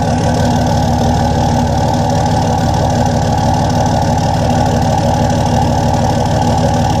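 Steady idle with an uneven, stumbling beat, about three pulses a second, some firing pulses weaker; a misfire-type roughness, cause unconfirmed.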